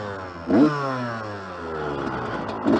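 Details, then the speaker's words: Yamaha YZ-125 two-stroke dirt bike being ridden, helmet-mounted camera, with an exhaust leak: blips then sags and falls away unevenly, running rough and loaded up before starting to clear. "yeah it's definitely loaded up definitely loaded up it's starting to get out of it though"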